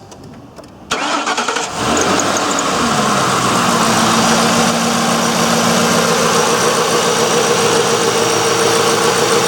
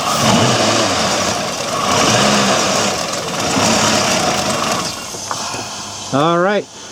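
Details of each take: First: 2004 Ford Crown Victoria with electronic returnless fuel system, first start after fuel pump replacement: cranks, catches cleanly and settles into an even idle with no ticking or knocking; sounds healthy. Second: looks like a fuel delivery issue to me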